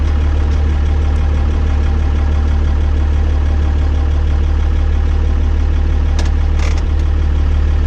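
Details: 12-valve Cummins diesel after installing six 5x0.016 injectors: deep, steady idle with an even beat around 220 a minute, no misses or knocks; normal idle.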